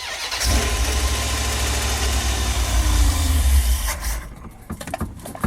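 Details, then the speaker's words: Edelbrock 650 carburetor, choke not connected, first start after about six weeks sitting: starter catches almost at once and settles into steady, even idle; clean, healthy cold start. "it did start right up, run good, idle good. I didn't have a choke hooked up."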